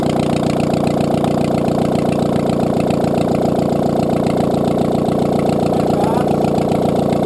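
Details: Audi A2 1.6 FSI (BAD) first start after engine repair following a timing belt snap caused by a broken plastic idler pulley: steady, even idle about 220 beats a minute, no knocking or rattles; running smoothly.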